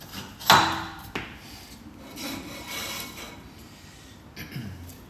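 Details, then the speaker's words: Classic Mini rear brake drum held in a vice during rear subframe strip-down; a dry scraping rub each time the drum is turned by hand, something dragging inside that needs inspecting. "as you can hear we need to have a look at what's going on in there"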